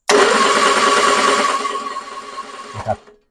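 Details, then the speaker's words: 1966 Triumph Spitfire MK II, off the road 41 years, after freeing the seized starter gear: even cranking about three seconds, turns over freely without firing; points oxidized, spark not yet checked. "so as you can see it turns over fine"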